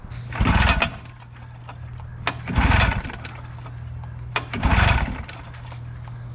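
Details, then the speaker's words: 25 hp Evinrude two-stroke outboard bought for a flatboat, after replacing flimsy kill switch wires and the kill switch: holds a low steady burble and picks up cleanly on each throttle blip; running fine, though the owner hears a slight knock. "Awesome. Oh yeah, baby. Sounds good."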